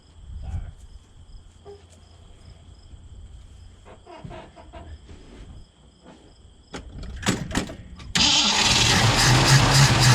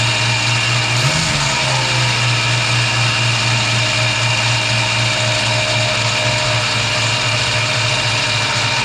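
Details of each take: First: 1965 Mustang 289 V8 after a camshaft replacement: steady cranking at about four turns a second with no firing before a late surge. No fuel is reaching the carburetor from the tank. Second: 1965 Mustang 289 V8 after camshaft replacement: settles into a steady even idle with constant low drone, no knocks or misses; normal idle.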